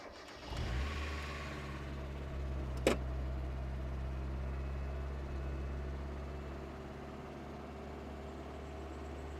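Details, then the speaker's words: Mazda Miata after cleaning the blocked throttle body and fast idle valve area, first start: engine catches and settles to a smooth, steady but noticeably high idle that never drops; idle set too high, no vacuum leak found. "okay it's really smooth but it's really high can we adjust that out"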